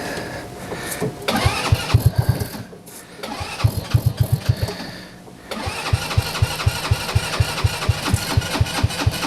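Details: TW200 Trail Wagon Runabout 4x2 kids UTV, battery shot: several cranking bursts, then catches into a regular quick single-cylinder putter; starts and runs fine.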